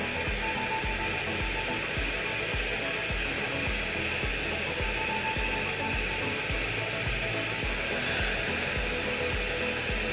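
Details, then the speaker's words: Dyson DC65 Ball upright with a lost-suction complaint: steady rushing airflow with a faint pulsing hiss from air leaking past the leaking seal of the tool-to-floor changeover valve. "this valve right here the seal on it is leaking we could hear that that a different sound that would air and that was it leaking past that valve"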